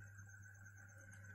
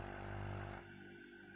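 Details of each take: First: Refrigerator compressor plugged in: only a steady low electrical hum, no suction or discharge airflow; compressor locked and cannot turn, overload heard tripping under high load; severe fault. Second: Healthy fridge compressor plugged in and running: steady low motor hum with a strong rushing discharge hiss, showing strong pressure and good pumping, compared with a failed compressor that only hums with no suction.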